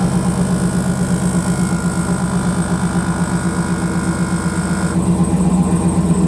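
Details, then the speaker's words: 2008 Cadillac Escalade ESV with newly installed Vigor rear air shocks. Starting the engine energizes the air suspension pump, giving a fast, even pulsing hum over the idle as the shocks fill: normal air suspension compressor operation. "what i'm going to do is go put the key in the ignition and when i start the vehicle up what it ought to do is energize the pump let's fire it up and see if it lifts up our air shocks"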